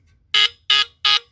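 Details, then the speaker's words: Tanita Mfg. Co. No. 2 battery heat alarm, test strip pressed after refitting the cover: three loud shrill buzzes, each about a sixth of a second, roughly a third of a second apart; the horn works fine. "okay you can hear it now cool because again these are hit and miss these things so they either do or they don't work"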